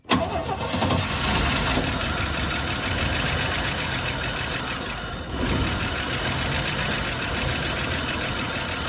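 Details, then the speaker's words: 1972 Chevy C10, with the points smoking so new ones are likely needed: it fires on brake clean and runs roughly for seconds, dipping then picking up. This is the first run since about 1987, and it is unclear whether it is pulling fuel. "I mean, that's enough to know she's gonna be a runner. I don't know either if we're actually pulling any kind of old fuel or not."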